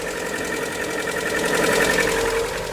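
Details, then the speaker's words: 2018 Lada Vesta 1.6 petrol with 84,000 km, just started at −32 °C, idling cold: busy rapid ticking mixed with a duller knock. Owner suspects hydraulic lifters, slight piston knock and the purge valve; not confirmed. "вот все что-то стучит сейчас основной микрофон слышно как разоряются гидрики слышно как небольшой перископ поршневой сейчас немножко прогреется еще может долбить клапан адсорбера"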